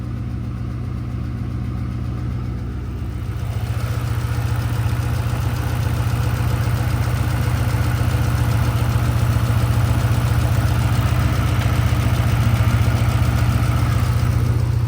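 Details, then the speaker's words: Ford Mustang after cold start following long sitting; faint quick tick three to four per second at steady idle, sounds like an exhaust leak but none found; spark plugs backing out suspected, vibration felt at a coil pack. "Oh yeah, I hear it. Got a slight tick. Sounds to me quite like an exhaust leak, but I've gone through the entire exhaust and there is no leak."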